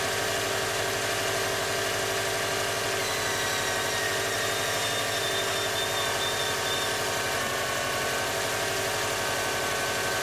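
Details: Engine at cold morning start: steady fine rasping, scraping hiss over the idle, as if something is rubbing, coming from the rear of the engine rather than the front belt area; source unknown.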